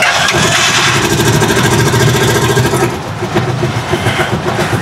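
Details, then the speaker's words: Rusi Chariot 175 single-cylinder at idle on ordinary motor-shop maintenance oil: loud, busy idle with a light rapid ticking (lagatik), about three to four per second; owner links it to the oil, cause unconfirmed. "Merong lagatik-lagatik sa makina."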